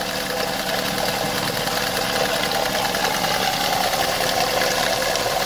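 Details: Opel Vectra A at idle with the top cover off: quick, light, uneven ticking over a steady idle, valve tap from visible wear and pitting on the eighth camshaft lobe; valve train tapping, worn cam lobe.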